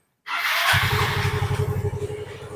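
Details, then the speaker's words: Yamaha Fino (also Mio M3, Soul GT type) scooter: smooth at idle, but sharp quick loud ticking once throttle is opened slightly. "Jadi, begitu kita menginjak gas, sedikit menaikkan gas, kita akan mendengar suaranya, kawan. Suaranya cukup keras, kan? Sudah jelas, kan? Lihat, suara itu jelas: tik-tik-tik-tik-tik."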